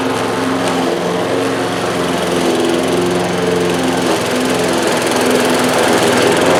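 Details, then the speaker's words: Bolens 21-inch 4.5 HP self-propelled push mower with new drive belt, cutting grass: steady, strong drone holds speed with no surging, slipping or squeal; runs and pulls as it should. "that's pretty good all i had to do was just use one hand to guide it uh this will do plenty good for my ditch"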